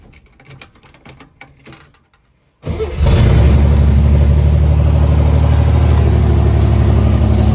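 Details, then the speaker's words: 1964 Chevrolet Corvair running on gasoline for the first time: quick crank, catches at once and settles into a steady, even idle; earlier knocking gone, idle set a little high. "the knocking did go away it sounded way better the idol was set a little high"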